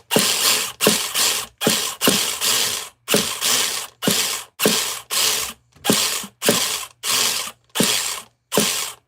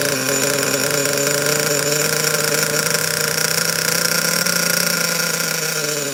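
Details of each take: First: Nitro RC car being started: dry rasping ratchet bursts about every 0.7 seconds and the engine never catches; the starter's one-way bearing is slipping and owner considers cleaning it. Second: Secondhand Savage 25 nitro RC truck first started after purchase, steering not hooked up; steady high-pitched buzz holding an even idle without stumbling or dying, normal running.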